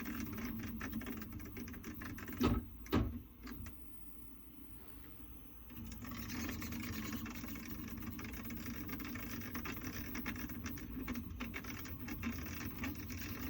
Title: Prusa MK3s xaxis clicking noise